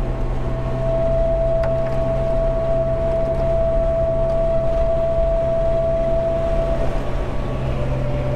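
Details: Jeep TJ at highway speed with a light bar mounted on the roof/windshield, before the fix: steady mosquito-like buzz and varying tones over road rumble, wind humming and whistling across the light bar.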